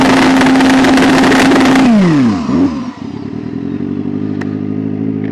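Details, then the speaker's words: Drag racer on 74-degree track, tires 134, traction control and data logger on: high steady howl breaks into rapid stutter as revs fall, traction control cutting timing on wheelspin; track lacks grip, clutch feels good. "The track is not there. Even the traction control lost control."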